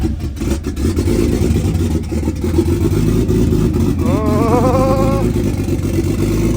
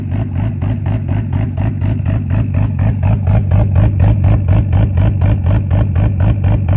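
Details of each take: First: Nissan R33 Skyline GTS-T RB25DET after repair of rotary-like sound (bolts checked, reassembled): smooth even six-cylinder note climbing cleanly with throttle, no lumpy rotary-like stutter; now sounds as it should. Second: Nissan Skyline R33 GTS-t (RB25DET) running with a fast, even, buzzy pulsing drone that sounds like an RX-7 rotary instead of a smooth six; cause not yet known.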